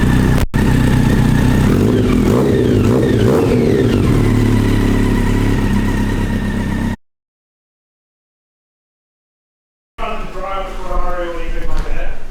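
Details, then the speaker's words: Yamaha XJR1200 after a rebuild with a new battery and wiring tidy: the big four fires up and runs even, revs rising and falling smoothly with no knocks or rattles; sounds healthy. "So yeah, now we'll turn the fuel on and show you what it sounds like."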